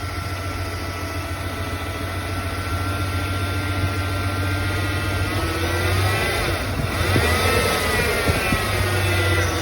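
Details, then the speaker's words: 1993 Ford F-150 5.8L 351 Windsor V8 after swapping in a throttle position sensor to fix erratic high idle and no-start (code 121): even steady idle with one quick blip settling smoothly; normal idle. "Well, you see, the thing's working just fine now."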